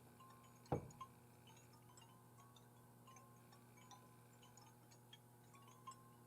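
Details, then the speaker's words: 1980 Gottlieb Amazing Spider-Man pinball machine, powered on but not working, fuses fine: faint irregular ticks every second or so over mains hum, self-blinking flasher bulbs heating and cooling to switch off and on; normal. "Okay, folks, if you listen real close, you can hear all the clicking, the click, click, click of those little blinker bulbs turning themselves off."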